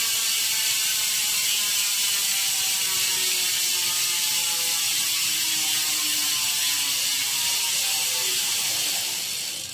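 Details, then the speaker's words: Hassns Pro 7 rear hub on owner's wheelset, phone mic, coasting down: rapid even ratchet buzz slowing as the wheel slows, fairly deep lower tone; freehub pawls working normally. "Yung tunog niya, medyo lower tone. Parang ano, mas malalim yung tunog niya."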